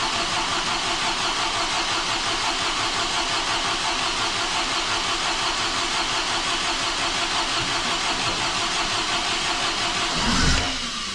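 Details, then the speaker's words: Overhauled MGB engine with newly fitted supercharger and decompression plate, first start, run 40 seconds without coolant: after a hard start it runs steadily but a little lumpy and uneven at idle; owner thinks it needs adjusting, maybe better with coolant. "so that's 40 seconds of running a bit difficult to start up but it went and I think I have some adjusting to do so that it sounds a little bit better than it did"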